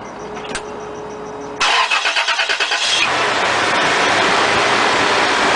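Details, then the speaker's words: Toyota 3.4L 5VZ-FE after new timing belt, water pump, thermostat, drive belts, fan and hoses installed: short even crank, catches quickly, settles into smooth even idle with no ticks or squeal; healthy first start after repair. "Okay, so I'm gonna set this tripod here, and that way you guys could see this bad boy purr."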